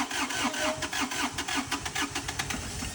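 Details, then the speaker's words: Chinese skid steer, first start of its freshly rebuilt diesel motor (damaged running without oil) after chasing electrical and fuel problems: strong, even cranking about five beats a second, turning over briskly and trying to catch. "He just rebuilt the motor, so we know the motor is good, but we've had electrical problems, fuel problems, and now we're gonna give it our first start. Let's see if it works."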